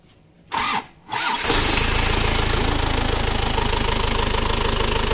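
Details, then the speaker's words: Isuzu Panther High Sporty diesel after repair of idle gear repeatedly coming loose and bolts snapping, fixed with a custom lathe-made steel bolt (17 thread, 19 head): cranks briefly, catches and settles into smooth even idle, no knocks or rattles; previous rough engine noise gone. "Alhamdulillah teman-teman, suara halus. Halus banget."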